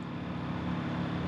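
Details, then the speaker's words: 2001 Ford Explorer fuel pump powered directly via a toggle switch, heard at the tank: a steady low electric hum that runs only after a knock and cuts in and out. A loose electrical connection inside the tank is suspected. "It just seems like there's an electrical connection that's gone bad in the tank. See, now it's not doing it."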